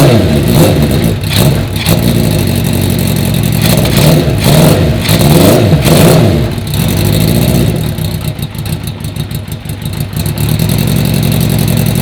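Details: 1980 Honda CB650 four-cylinder bobber. Revs cleanly and settles back without stumbling or popping. It runs way better, even with the choke off; the low idle was raised with the idle screw.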